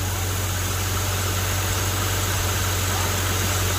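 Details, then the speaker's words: BMW E90 first start after power steering pump replacement, with the fluid cycled through the system: a smooth, steady idle with no steering pump whine or ticking, sounding much better than before. "all right go ahead and start it up now oh that already sounds so much better but it's about time one thing went right"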